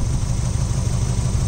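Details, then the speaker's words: Mazda Miata idling: low, uneven idle with lumpy, irregular pulses instead of a clean beat; rough running, suspected wiring, cause unconfirmed, teardown considered. "I don't think you should rev it up to be completely honest since it's not running well"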